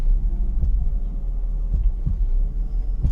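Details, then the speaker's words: BMW E36 328i with handbrake on and light throttle, extra microphone fitted: dull knocks about four in three seconds over engine drone; rear differential moving, new rear diff bushing found shot. "As soon as I apply a little bit of throttle, you can hear what is going on. It sounds like the rear diff is moving back and forth"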